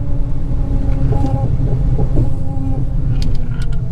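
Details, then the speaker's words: Dodge Challenger SRT Hellcat with fully built engine and ported supercharger, first drive after rebuild: steady high gear whine over the drone under load while driving, from the rear differential, not the supercharger; differential likely needs rebuilding. "All right, so I don't know if the camera's gonna pick it up, but this differential is screaming, you guys. So we're probably gonna have to send this differential back to get rebuilt,"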